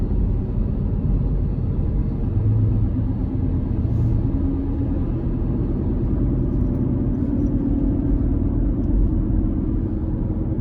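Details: 2018 Honda CR-V AWD, about 100,000 miles, driving: dry bearing-like whoosh over road rumble, starting about 14 mph and louder with speed. Wheel bearing suspected first, traced to worn rear driveshaft U-joint, fixed by driveshaft replacement.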